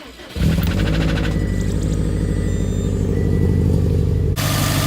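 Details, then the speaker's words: Subaru WRX STI started the next day with timing cover off: rough idle with faint rapid metallic knock, metallic flakes in the oil, not the pulley; engine then died; confirmed rod knock, ringland failure. "but first I'm going to show you the confirmed rod knock there's metallic flakes in the oil um there's no way that this is the uh the pulley I'll show you guys right now start it up and you can hear that knock"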